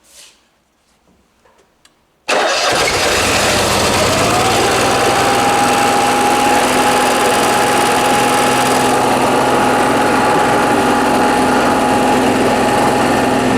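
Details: Onan Marquis Gold 5500 generator in a 2003 Fleetwood Bounder RV, after fixing hard-start/stalling problem: quiet, then starter catches and it settles into a steady, even hum with constant pitch; starts and runs healthy.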